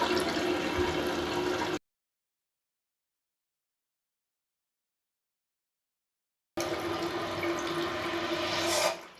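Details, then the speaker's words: Toilet after fill valve replacement, water turned back on: smooth hiss of the tank filling with a quiet gap and no squeal or hammering; the new fill valve refills quietly, water level still to be raised. "Good thing is it's not making noise, but I do want to bring it up a little bit higher."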